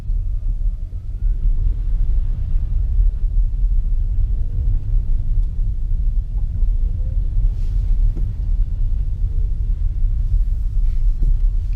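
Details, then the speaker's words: 2015 Nissan Leaf after lubricating front stub axle splines and resecuring hub nut, 684 miles later, gentle acceleration and regen braking on wet muddy road: smooth road rumble and hiss, no clicks; front axle click fixed. "but i hope you can tell that it's not doing what it was doing before in terms of that click as we were accelerating and decelerating"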